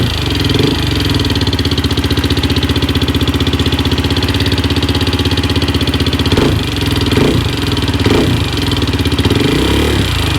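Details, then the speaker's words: 2004/2005 Suzuki LTZ 400 single at idle after timing chain tightened; failed valve guide job by another shop: sharp rapid top-end ticking, about four per second, loud up front on exhaust; shim came out, beat on keeper, no clearance; fix needs head removal. "looks like the uh the shim came out and that would be because it's probably yep Jim came out beat around on the keeper right here that's all the noise we were hearing right there that's why there's no clearance"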